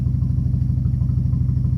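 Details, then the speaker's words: 2003 Dodge Neon 2.0 with SRT exhaust, new timing belt and rebuilt head after the belt broke: low, lumpy idle with a stumbling beat. Compression 190 psi on all cylinders, new plugs, no vacuum leak. Misfire from a failed ignition coil. "It's got an SRT exhaust on here, but it just doesn't sound right."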